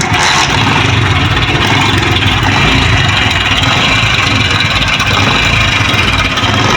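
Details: 2023 Honda CD 70 motorcycle, 6000 on the meter, idling: loud clattering, chattering rattle over a busy idle; worn timing chain set, replaced with a new chain set.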